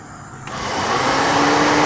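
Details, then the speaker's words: Electric cooling fan switched on via scan tool actuator test (Launch X431 Pro): quiet background jumps to a rising, steady whoosh with faint hum as the fan spins up; fan motor responds normally. "saya di sini akan mencoba melakukan eh pendeteksi atau mengetes aktuator dari fan elektrik"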